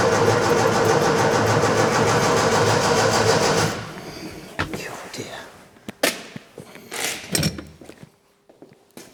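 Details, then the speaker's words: Scrapyard Fiat 600, after cleaning out and refilling fuel: steady starter churn about three turns a second with no catch, then stops; owner suspects the carburettor is not filling with fuel properly. "it's nearly there but he doesn't just like it does it I think we're struggling because we haven't got any fuel in this carburetor I think it's not filling it up properly"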